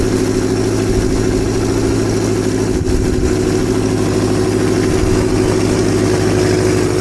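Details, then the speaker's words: Kawasaki Z650B in restoration, idling after a carburetor fault was traced to one carb: smooth, even four-cylinder idle with a loud steady exhaust beat from the baffled Delkevic exhaust system, all cylinders pulling evenly, no stumble. "yeah sounds pretty good foreign happy with that I'm actually quite surprised how loud this delcovic exhaust system is even though it's got the baffling"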